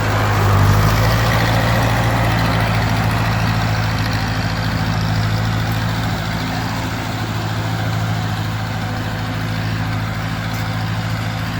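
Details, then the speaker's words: 1942 Ford 9N tractor after distributor points work, driving; deep steady low drone with slightly uneven beat around three per second, pulling weakly; carburettor still needs adjusting. "Yeah, I still gotta adjust the carb. I still gotta adjust the carb up, that's all."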